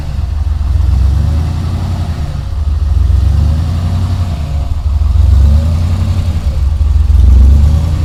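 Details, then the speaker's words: Ford Ranger rock crawler "The Mutt" first start after build, new Magnaflow exhaust with dump, revved: strong low rumble swelling and easing with throttle, firing even, no knocks or misses; runs and sounds good. "everything else is hooked up but uh very happy it's uh fires right up runs good sounds good"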